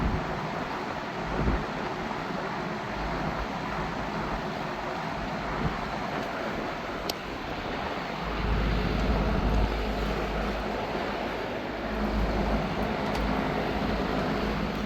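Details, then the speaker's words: Vintage Lakewood Country Aire C-720-3 three-speed box fan, Westinghouse motor (said to do better once warmed up), on high: steady even air rush over low hum, no knocks, rattles or wobble; normal running. "Well, this motor does better when it has time to warm up, but this fan is a beast. Alright, let's crank it up to high."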